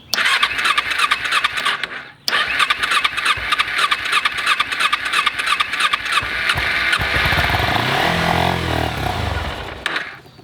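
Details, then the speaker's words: Kawasaki Ninja 250 carbureted, stored about four years with a full tank, fuel leaking from a hose, cranking on choke: starter whirs in bursts, engine stumbles and half-catches then fades; hard starting. "one thing that's happening is that when you crank you turn on the choke and you can see it wants to start on this hose when I crank it"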